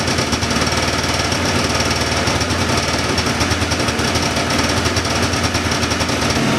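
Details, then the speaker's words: 1979 John Deere Cyclone 340 two-stroke snowmobile, revived after sitting, running on choke: loud, choppy, uneven hammering beat that won't settle. Fuel pump works but little fuel drawn; owner suspects fuel starvation or a dirty carburettor idle circuit. "I was running it with the choke on there at the end so either it's not pulling enough fuel or the idle circuit and the carb is all"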